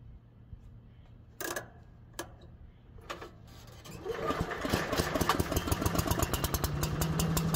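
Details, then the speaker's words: Little Wonder walk-behind blower after service (spark plug checked, valve clearances adjusted, valve cover gasket), primed for test run: handling taps, engine catches near four seconds, settles into an even, steady firing beat; runs healthy. "With the engine primed and ready, we embark on a test run, ensuring seamless operation and optimal performance."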